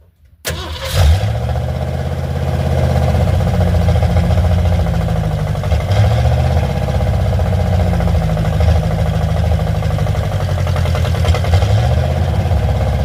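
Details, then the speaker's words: Car on a cold start with the throttle linkage just repaired: it can't be started using the gas pedal from inside, so the throttle is worked by hand until warm. It cranks and catches within a second, then a lumpy cold idle held up with throttle blips; the cause is not confirmed. "I just can't start it inside and use the gas inside. I have to keep doing this till it warms up."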